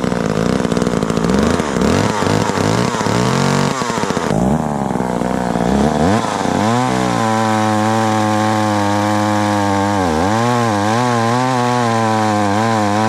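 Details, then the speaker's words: Very small chainsaw found in the trash, never repaired and not run for years, started easily without starting fluid. A rough cutting noise is followed by a steady, even idle with gentle speed wobble. Power is where it should be. Healthy. "well that's cool this is chainsaw I've never had to fix and I just started up right now pretty easy no starting fluid after or not running for years and it's idling good and you know the powers right where it should be"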